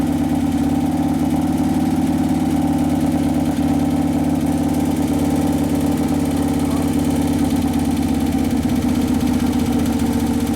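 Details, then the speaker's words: 2011 Harley-Davidson Road Glide twin cam after motor/primary repair; O2 sensor had been on the wrong cylinder and it sounded lean earlier. Now a steady, even V-twin idle with a smooth low thump, no knocks or ticks, settling on its first heat cycle. "yeah it sounds like it's settling there's your first heat cycle"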